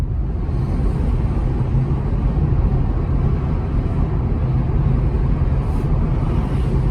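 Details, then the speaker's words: Car cabin recording at low speed around 15 mph: deep steady droning rumble, no rhythmic knock, persisting nearly to a stop; customer feared wheel bearing, but noise comes from rear tires with uneven wear. "This car came in with the customer worried about a wheel bearing issue, but as you'll hear, the sound is coming more from the rear tires."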